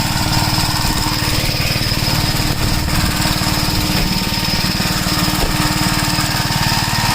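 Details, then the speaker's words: 1961 Gravely Model L tractor on a test drive after carburetor repair and richening: loud, rapid single-cylinder chatter holds an even speed without hunting or surging, and the newly hooked-up governor linkage is working. "Yeah, the governor. It sounds like it's working. Yeah, it is."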